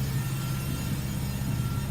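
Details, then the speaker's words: 2005 Nissan 350Z after code P0021; cam and crank sensors replaced, then VVT solenoid replaced and relearn done, one multiple-misfire code since: steady low engine hum, no misses or knocks. Runs and drives well. "still, I mean, it sounds good, drives good. So if you ever have that problem, I'd probably recommend doing that first before you bought the sensors."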